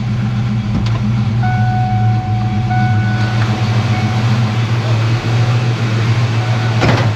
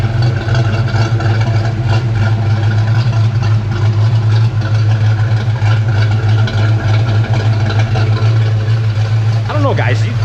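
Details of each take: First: Here we go. [Applause] Look at that. Right to idle. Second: 1992 Ford Mustang Foxbody V8, mostly stock apart from intake, reportedly 1.7 rockers, with a suspected exhaust leak: deep loud idle with a slightly uneven, lumpy, choppy pulse; unclear whether it has an aftermarket cam.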